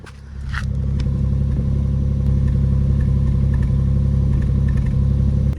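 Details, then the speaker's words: 16-year-old Lexus RX hybrid: steady low idle with a faint uneven stumble; misfire confirmed, no fault codes stored; engine misfire. "yeah we definitely have a misfire"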